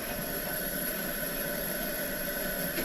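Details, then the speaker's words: Old Coleman camp stove, shelved at least a dozen years and possibly 40, burner heating water; steady soft roar with faint high hiss, even and unbroken; burning nicely, healthy. "get in there and get down in there where you see the fire it's burning nice hard to believe after setting for it could have been 40 years who knows"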